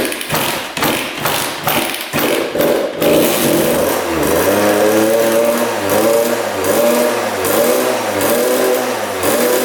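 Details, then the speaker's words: 1999 Suzuki RM80 two-stroke started with premix squirted down the carb: it catches, then surges and sags and sounds boggy, then won't restart. "it also sounded pretty boggy yeah it doesn't want to start now"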